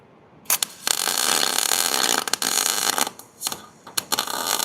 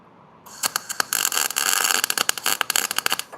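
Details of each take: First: MIG welder after turning the speed down: crisp, even sizzling crackle in bursts with no popping, normal arc sound, though it burned a hole in the metal. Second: That's That sounds way too fast. I'm going to turn it down some. That sounds too fast as well.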